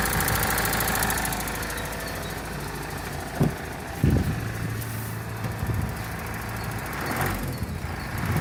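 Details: Mitsubishi L200 4D56T diesel at idle: sharp knock breaking through the clatter. It began at 70,000 km, and at 98,000 km valve clearances were set and the injectors bench-tested fine. One injector knocks, and the knock vanishes when lifting off the throttle.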